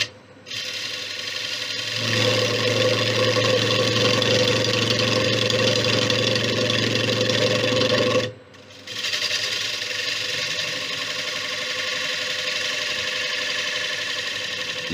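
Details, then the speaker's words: Large warped ash bowl on the lathe at 700 rpm, gouge straightening the warp: a rough, chattering cut with a quick rhythmic rattle through each long pass as it hits high spots. Interrupted cut on an out-of-round bowl. "hear the difference in the course now remember there's air in here as well"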